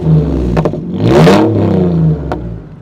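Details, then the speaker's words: Abandoned Ford Mondeo ST220 3.0 V6 non-runner at 82,000 miles, first run after a jump start: a smooth throttle blip rises and falls evenly with no knocks or rattles. Normal, free revving. "oh that sounds really nice yeah yeah I think you'll be surprised how these get up and go"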